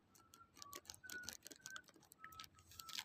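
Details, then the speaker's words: Remington hair straightener (code 9600) plugged in after its cord was replaced: quiet, irregular crackles, sharp clicks and thin high tones. A short on the circuit board is suspected; not confirmed. "มันเสียงช็อตนะะไม่รู้เพื่อนๆจะได้ยินรือเปล่าเดี๋ยวผมถอดก่อนดีกว่าเหมือนมีเสียงช็อตอยู่ช่วงนี้อยู่นะครับทั้งๆที่สายใหม่แล้วนะอันนี้น่าจะเป็นการช็อตลงบอดนะครับ"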